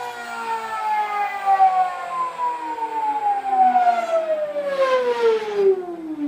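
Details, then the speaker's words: High-power PMAC electric motor on an EV power bench winding down: a clean electric whine falls smoothly in pitch with no knocks or grinding. It is somewhat noisy but runs normally with no fault information. "it sounds kind of noisy but the next part is to take it to site and get it actually crank it up softly"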